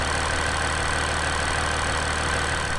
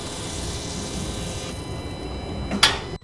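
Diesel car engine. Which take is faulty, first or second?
second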